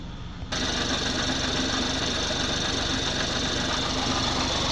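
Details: 2019 BMW X4 30i G02 petrol idling stationary after coolant loss and a low-coolant warning, topped up with G12+ and distilled water, no other warnings: busy high-pitched ticking over an even hum; owner unsure if normal.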